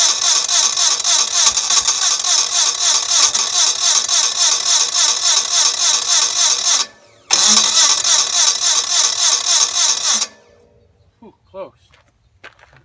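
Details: Onan CCKA engine on a Gravely 450 tractor, with a new starter replacing the roughly 45-year-old original: brisk, even cranking at about three and a half beats a second for ten seconds; strong cranking.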